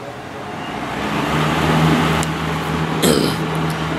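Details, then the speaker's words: 12-inch Penncrest (Lakewood) 2-speed box fan, 1.4 A General Electric motor, running on low with grills back on: steady low motor hum and even air rush, no rattle or wobble; grills reduce the low-speed vibration, normal running. "shake as much with the grills on even on low those grills add a lot of stability"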